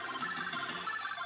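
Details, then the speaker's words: MiSTeryNano Tang Nano FPGA Atari ST/STE project using a Raspberry Pi Pico: thin, steady high-pitched buzz over sampled game sound, present on sampled audio but not regular AY music; audio output noise fault. "It does it on a few things, usually where there's sampled sound. Where you've got regular AY music, it seems to be okay."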